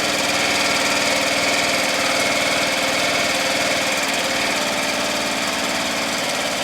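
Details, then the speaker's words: Murray Select lawn tractor single-cylinder engine on a chilly day, after muffler welding and blowing oil out of the muffler, at high throttle: even, steady chug with no hesitation or surging; muffler and engine sound good. "muffler sounds good engine sounds good doesn't hesitate or surge at all"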